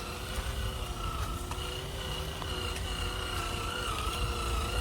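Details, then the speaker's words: RC crawler with a 1:3 planetary gear reduction at slow throttle, tyres full of mud: steady high whine with a fainter higher tone over a low motor hum. Normal planetary reduction gear whine under load. "you can hear that gears whining. Got a lot of dirt in the tyres now, so traction is a problem."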